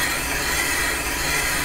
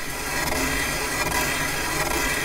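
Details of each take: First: Pre-1920 flat-belt Shepard gap-bed lathe boring the damaged main bearing bore of a Caterpillar D2 5J1113: even, continuous scraping hiss with no skip near the end; steady, consistent cut. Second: Caterpillar D2 #5J1113 starting engine, boring a damaged main bearing bore on the lathe with a hand-ground bit on auto feed; steady hissing cut with a soft rhythmic skip about once a second as the bar crosses holes at the top.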